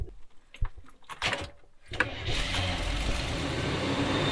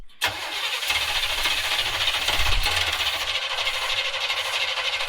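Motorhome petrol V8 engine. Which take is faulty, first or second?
second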